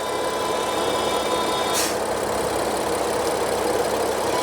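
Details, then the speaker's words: BMW F80 M3, idling: thin, steady high-pitched whistle caused by a torn oil separator diaphragm in the rocker cover; vacuum whistle, fixed by replacing the cover with a genuine part. "얘는 누유다는이 오일 세퍼레이터의이고 막이 찢어져서 그 삐 이런 고주파음 인해서 이제 교환하게 된 겁니다"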